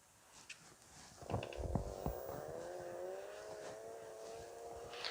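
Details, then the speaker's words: Electric scooter that sat broken for six months, on its evening test ride after rewiring, in first then third gear: a soft hub-motor whine climbs smoothly as it pulls away, with no grinding or clicks. It runs normally. "первая передача и третье так он едет ну что ребята он едет"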